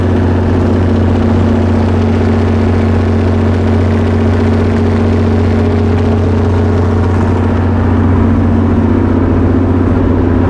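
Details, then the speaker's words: Perkins 6.354 diesel generator set that won't take load, injection pump governor with excessive droop: loud steady idle with slightly uneven low beat; owner suspects misfire, cause unclear. "so the the governor in the injection pump has excessive droop and i feel like the engine is misfiring which you'll be able to hear that and see that once we get it running"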